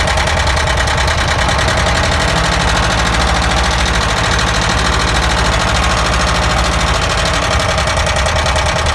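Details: ZAZ engine with the ignition caps removed, idling roughly with a fast, steady ticking knock at about three per second. The cause of the knock is not yet determined.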